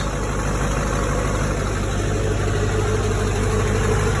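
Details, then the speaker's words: Chevy C10 with 2005 Duramax diesel swap, first start after new fuel system with lift pump and dry fuel system, tuned: deep even idle at about three beats a second, no misses or knocks; normal idle. "started really well for it to be the first time it started with this fuel system and all but that's the difference in a lift pump and trying to do it with no lift pump too"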